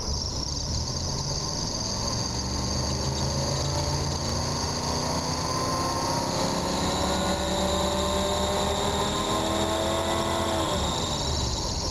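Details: RV engine after new fuel pump, filter and fuel line, following a carb rebuild: climbs smoothly in pitch, holds and settles evenly with no stumble; revs differently than before, fuel pump sounds different; normal revving.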